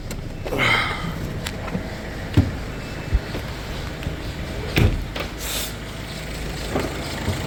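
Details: Peugeot 3008 idling after a no-start following battery change, fixed by reseating the battery fuse: steady, even idle with a low smooth hum and a few outside clunks; engine sounds healthy.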